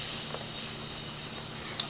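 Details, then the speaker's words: 2001 Hyundai Tiburon, 100k miles on the engine (30k turbocharged), leak-down test on cylinder 3: about 9 of 100 psi lost. A steady airy hiss as air leaks past the rings, making the oil cap jump. "And it's showing about a 9 on the gauge here. 9 pounds leaking off, and there's substantially more air coming out around the rings. It's making the oil cap jump there."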